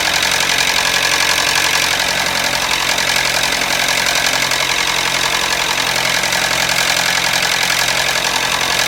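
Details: Toyota Matrix idling with a harsh metallic clatter about four times a second over a steady hiss; also stalls when braking; engine completely out of oil from a leaky gasket; oil starvation rattle.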